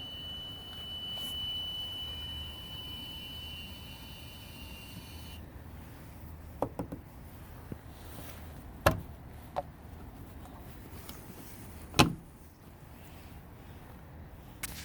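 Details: 2016 Ford Focus SE with dual-clutch transmission, 32,000 miles: thin, steady high-pitched whistle from the engine bay after shutdown that cuts out and returns; the dealer attributed it to the air conditioner and replaced that.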